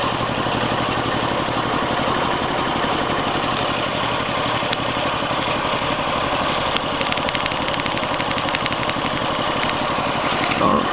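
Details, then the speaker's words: Idling engine: fast, soft, uneven puffing over a steady idle with hissy top end; owner wonders about a vacuum leak, EGR working, opening it nearly stalls engine; source not confirmed. "i don't know if you can hear it but i hear this little puffing sound"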